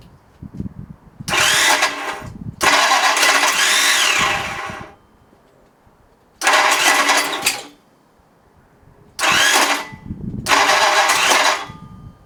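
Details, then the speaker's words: Ford flathead 8BA race engine on a run stand, with a new distributor: several bursts of steady starter cranking with no firing at all. No spark found at the ignition; ignition timing is suspected but the cause is unconfirmed. "Okay so we're not getting sparked for some reason um I can't seem to find a problem with the with anything"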